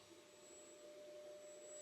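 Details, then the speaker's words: Brand-new FLSUN S1 3D printer printing at presumably its fastest setting, door closed: steady vacuum-like whoosh with faint constant whistle; just the fans working hard, normal, louder with door open. "I mean, it's not as bad as I thought it was going to be. It's loud. It definitely sounds like someone's running a vacuum."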